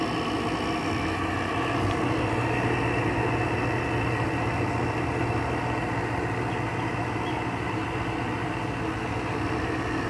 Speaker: it's not even built head pressure yet but it's still the air coming out of it still does feel pretty cold so this thing thankfully still has a full charge on it